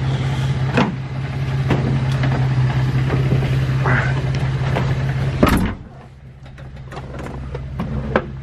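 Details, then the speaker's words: Nissan 350Z drift car, first start after front-end work, battery jumped, open headers with test pipes off: very loud deep raw drone with rapid pulsing and sharp backfire pops. "starts it's open headed right now test pipes are on the roof actually"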